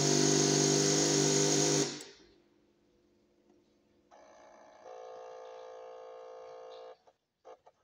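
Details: Suzuki Burgman 200 scooter: starter whirs at a steady pitch for a few seconds with no firing pulses, then cuts off; cranks but won't start.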